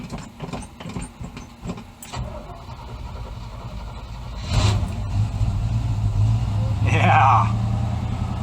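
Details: 1978 Chevy 1-ton 4x4 ex-fire-department squad truck, 350 Chevy V8, 4-speed, running on one battery of its dual setup, cold start: a few seconds of rhythmic cranking with some pumping, then it catches quickly into a steady rumbling idle; normal cold start.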